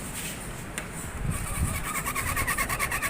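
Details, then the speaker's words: Hero HF Deluxe 2022, 13,800 km, front wheel spun by hand: a high, rhythmic chirping squeak about three a second from the speedometer. "आवाज़ सुन रहे होंगे, ये इसका metre आवाज़ कर रहा है।"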